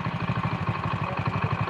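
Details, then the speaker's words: Honda Win single, idle turned down below 1500 rpm: slow, lumpy knocking beat; idle set too low, and it smooths when raised back to 1500 rpm. "Kalau mesin RPM kecil yang ngoglok. Jangankan Honda Win. Motor baru keluar pabrik. Kalau langsamnya kekecilan ya glok ngono kuwi Mas."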